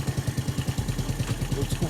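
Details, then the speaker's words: Yamaha Neo 115 scooter, strange noise after using the kick-start pedal, fairing removed: steady single-cylinder idle thumping with faint light scraping from the kick-start shaft rubbing. Kick-start shaft rubbing. "hoje eu usei o pedal só para ver se funcionava no pedal Dá para ver que tá pegando aqui ó tá vendo"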